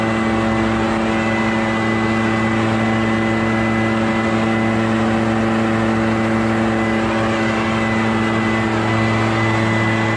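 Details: Barn-find Echo PB650 backpack blower on fresh gas after years stored, clearing a shingle roof: steady high-pitched two-stroke drone at constant speed, smooth fan roar, no surging or rattling; normal running under load.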